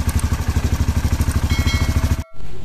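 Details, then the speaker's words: Honda CRF150 after tune-up with racing camshaft (noken as racing), new gaskets; first start after oil pump and oil path test: even, steady thumping idle about thirteen beats a second, no knocks or ticks, smooth healthy idle until shut off. "Halus ya suaranya teman-teman. Mantap."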